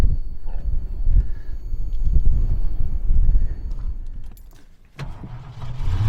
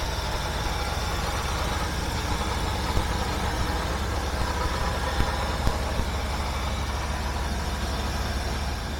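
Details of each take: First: 1976 Mercury V8 freshly started after ignition timing set with timing light: lumpy, unsteady idle surging and sagging; owner suspects leaking carburetor base gasket sounding like an exhaust leak, ignition confirmed fine. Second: 1976 Mercury engine idling steady and smooth at low rpm with a continuous rumble and no misses, with ignition already set up; replacement gaskets still awaiting special order.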